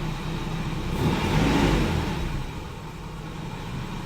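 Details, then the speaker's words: Nissan S14 240SX with hesitating throttle, after fuel filter replacement, briefly warmed: throttle blip, then revs fall back and sag low as if about to stall; dip persists. "idle just went down by a good bit I kind of sound like it wants to like die every time it comes back down from being revved"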